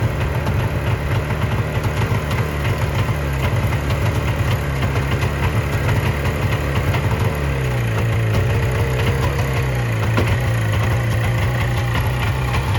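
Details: 1970 Subaru Sambar pickup off the road for 40 years, first run after loosening the distributor to add timing advance (timing or points suspected off); idles on its own with a steady low beat, picks up and settles back when revved: running cleanly.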